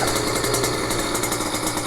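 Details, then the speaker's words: Small-engine motorcycle at fast idle while warming up: quick even putter, steady and clean, no knocks or rattles, rpm slowly dropping to settle; normal warm-up idle. "You hear the RPMs are dropping. I don't know if you can hear that on the video, but the RPMs will slowly drop and settle into where it should be."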